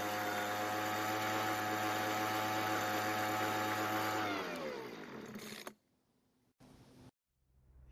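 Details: Weedeater two-stroke leaf blower (recently bought, wouldn't start; fuel lines recently replaced) holding a steady high buzz, then winding down and cutting out; runs evenly with no misfire, normal running.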